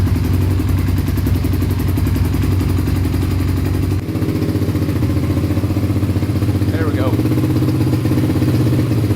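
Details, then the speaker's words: 1987 Honda TRX250X quad after rejetting for aftermarket silencer and freeing stuck throttle cable: steady even single-cylinder putter at idle, no misses or knocks; running pretty good, normal idle. "running pretty good now"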